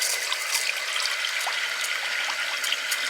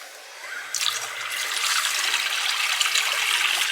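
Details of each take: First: Well water system after repairing the leaking pop-off valve, checked over an hour later: steady hiss of water running hard from the tap, no air spitting or sputtering; pressure strong, fixed. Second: Water rushes with a hissing, spitting sputter in irregular bursts as the pressure tank refills after the well pump was shut off; air is still purging from the water line being bled out through the tractor.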